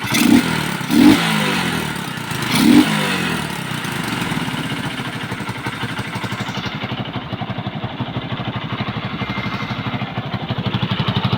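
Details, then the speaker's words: Kawasaki Boxer after 4-pin CDI conversion fix and idle lowered: after a few blips the idle settles into sharp regular puffing chuffs from exhaust pipe leaks, to be cleaned and welded; exhaust leak. "singaw lang mga idol singaw lilinisan na lang natin kasi may mga Tagas Tagas ta's ipa welding natin yung tambutso"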